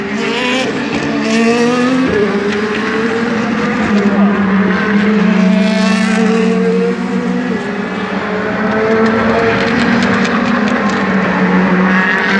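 Loud V8 holding a fairly steady high note with an uneven, stumbling beat and ragged pitch: an engine misfiring under racing conditions.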